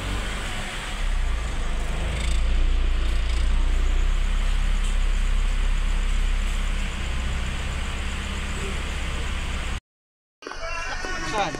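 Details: Mitsubishi Space Wagon that would not start (no spark from distributor) after distributor repair: even, steady low rumble, smooth with no misses or knocks; running normally.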